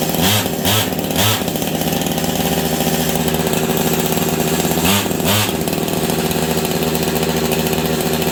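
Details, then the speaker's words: Husqvarna 385 chainsaw that sat on a shelf for years: idles steadily, but throttle blips flare and drop straight back. Owner suspects an air leak or ignition not advancing. Will not rev. "it sounds like the clutch is grabbing on this thing but it's not it's the saw will not throttle up on it for me to save my life it runs good though"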